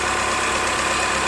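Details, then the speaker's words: 1996 Chrysler Voyager 2.4, also running on LPG, after repair: with the gas system switched on, an even, steady idle with no stumble or misfire; the engine runs cleanly on gas without problems. "также горы работает и на газу без проблем"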